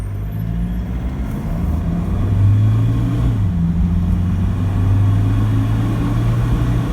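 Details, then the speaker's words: Toyota LC150 diesel after new injectors and related work, accelerating off: deep even drone building smoothly, no knock or rattle, quiet; normal healthy diesel engine noise. "anyway just wanted to demonstrate how quiet is that i'm super impressed you can just hear the engine you know engine noise is normal engine noise no rattle"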